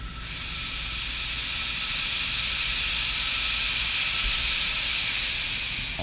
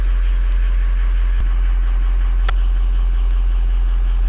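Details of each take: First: Ford Powerstroke diesel with ARP head studs puking coolant, cap pressure-tested: steady sharp hiss for six seconds as the radiator cap vents at 20 psi instead of rated 25; cap releasing early, replaced. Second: Ford Powerstroke diesel with ARP head studs, cold start, ICP about 0.16 (slightly low): deep steady idle with even rumble and clean injector clatter; normal healthy cold-start idle.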